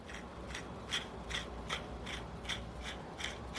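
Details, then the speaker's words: Low-time Magnum XL70 RS four-stroke RC engine, empty case, crank turned by hand: gritty, uneven ticking and rasp about twice a second; rough bearings, possibly lower-quality originals, due for replacement. "For such a low time engine, it's amazing to me that those bearings sound like they do. But maybe that's just because they're lower quality bearings."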